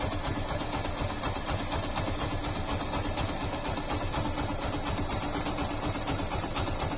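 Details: Yamaha FZ/Fazer motorcycle engine idles with a steady, even beat and no timing chain rattle after timing chain tensioner replacement; normal idle.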